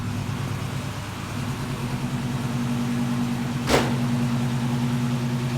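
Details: LS-swapped G-body Oldsmobile Cutlass that sat for years with a fuel system problem, started on a borrowed battery with cleaned terminals: the engine catches and settles into a steady, even, low, smooth idle, running on its own; normal idle.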